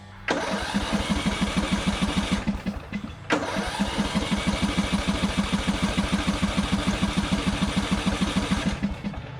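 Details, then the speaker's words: Customer's Murray 42" riding mower with an ignition issue: steady cranking at about three turns a second, a pause, more cranking, and it never fires. The engine may be flooded and the clicking ignition switch is believed bad. "why would that not fire up this thing flooded the ignition switch is bad i know you noticed it kind of clicking there a little bit"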